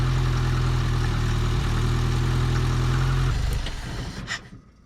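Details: Truck last registered in 2005, after the distributor wire was bent away from the cover to stop it grounding: steady low idle with an even firing beat for about three seconds, then it winds down and shuts off; running normally.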